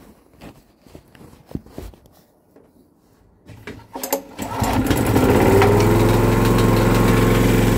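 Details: Honda EG2500 generator, first start after sitting for an unknown time in a trailer, choke on, clean oil: a few quiet knocks, then it fires and settles into a steady, even drone with no misses or hunting. Normal running.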